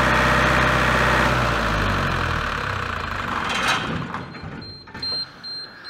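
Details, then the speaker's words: Large diesel generator set from auction, during a throttle-adjustment test: the engine runs steadily, then sags after about three seconds and winds down as the controller shows a frequency error. Engine shutdown. "all right so it looks like we've already different era now so you can generate at all that frequency so I don't think it's got anything to do with the engine speeds"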